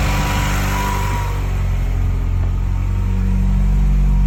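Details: Big-turbo Mini R56, first start after timing set with locking tools: engine catches and settles into a firm, even run before building revs smoothly, no misfire or tapping; normal running.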